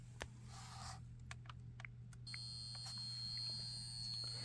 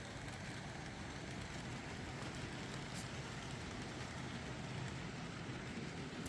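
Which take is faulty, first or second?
first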